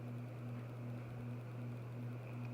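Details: Harbor Breeze 52-inch white Triton ceiling fan, remote-controlled with dimmable frosted-globe light, running on high: steady low hum with a soft even whoosh, no ticks, wobble or rubbing; smooth, quiet fan running fine.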